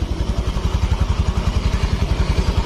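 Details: Honda Vario FI scooter after engine rebuild (destroyed piston replaced, cylinder bored oversize, break-in pending): even single-cylinder putter about ten pulses a second, steady, no knock or miss; breather smoke gone, engine idling normally.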